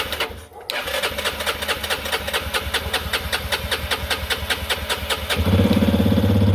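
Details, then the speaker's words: 2021 Yamaha XT250, 252 miles, sat since 2022 and cranked without starting; after fuel system work and priming the fuel pump, even cranking pulses, then the single catches cleanly and settles into a steady idle; normal start. "that was the issue the whole time I was getting a little bit worried it wasn't starting I already spent those 400 bucks basically"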